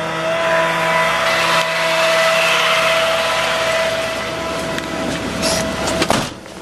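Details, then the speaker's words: 2004 Chevy C5500 rollback, 6.6 L Duramax, PTO on at steady high idle, cold day: even hydraulic whine with no knocking or grinding while the winch runs; it works normally. "Of course, our winch up there works just fine. You can see that moving."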